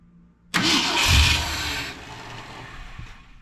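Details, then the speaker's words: 1970 Ford F100 with newly installed Holley Sniper EFI, fuel pump on: starter whirs, engine catches briefly then sags and stalls within seconds, failing to hold idle. "yeah it just does not like to stay running let's try again"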